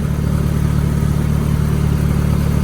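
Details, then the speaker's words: 1990 Mitsubishi Mighty Max after spark plug replacement: smooth, even idle with steady low hum, no misfire or ticking, running on all four cylinders; the miss was a bad plug, not the suspected burnt valve; normal idle. "Well, like it's running on all four. I'll be damned."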